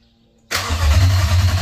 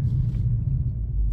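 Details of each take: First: Infiniti M45 with a replacement VK45DE V8 (about 60k miles), first start after install with fresh fluids: it catches after a short crank into a loud, deep, raw unmuffled rumble. Open headers, no exhaust pipe fitted yet. Loud exhaust from open headers. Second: Infiniti M45 with a replacement VK45DE V8 (about 60k miles), idling at a stop while driving: a quiet, low, smooth rumble. The earlier knock heard at a stop has gone away on its own, and it sounds healthy. Normal idle.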